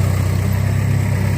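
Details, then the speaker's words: Car idling just after antifreeze refill and alternator belt tightening to cure a squeak: low, steady idle with even beat and no squeal or chirp over it; belt quiet, normal idle. "so let me start this [ __ ] up you can also hear no more squeaky Bell a prize is full"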